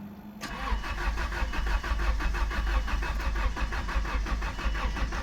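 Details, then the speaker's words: Subaru Legacy after engine refresh, spark plugs, oil and coolant added, first crank in clear flood mode to build oil pressure before starting: steady starter cranking about three pulses a second, no firing; normal. "All right, guys. Everything [sighs] is good. Clear flood mode."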